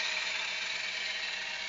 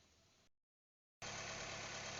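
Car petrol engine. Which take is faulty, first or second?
first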